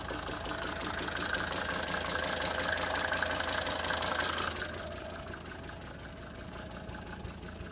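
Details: Mercedes 190D 2.5 Turbo diesel at idle after replacing chain tensioner: steady knock about three beats a second heard from the air intake on the right wing; cause unknown.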